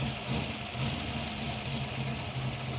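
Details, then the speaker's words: Ford Falcon V8 with lumpy solid cam, new water pump just fitted, no choke, after start-up: steady low burble with even beat, no tapping or squeal; healthy idle. "Ah, you can never get sick of this sound. The sound of a lumpy solid cam in a V8."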